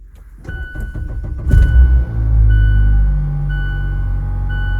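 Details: Cold start of a 2020 Mazda Miata RF Grand Touring with accident front damage: starter whirr, catches after a second, then a steady low even idle with no knocks or misses; normal healthy start and idle.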